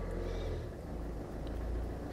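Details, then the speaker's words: Citroen Berlingo 2.0 HDi diesel at startup, not fully cold, after uneven starter churn: low uneven rumble with irregular beat, skipping and missing, then seems to run on all four cylinders; owner suspects a failing injector or compression loss. "That is skipping and missing all over the place."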